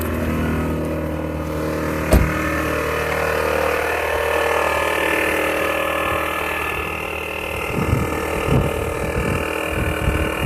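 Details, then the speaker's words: 1993 Toyota Camry at startup: engine running with a steady whirring, whining tone over the idle and a few rattles; source unknown, owner hopes it is the water pump. "okay so this is this is the noise it makes when ever we started up talking about what it is exactly"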